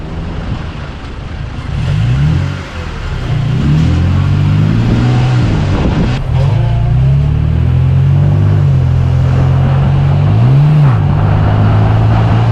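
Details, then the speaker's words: 2020 Toyota Tacoma TRD Pro automatic with check engine light, driving: revs flare as if in neutral right before each shift, then harsh jolting engagement into gear. "if you listen carefully in these next couple of clips you can hear the transmission rev as if it's in neutral right before it shifts and then it chips into gear a little"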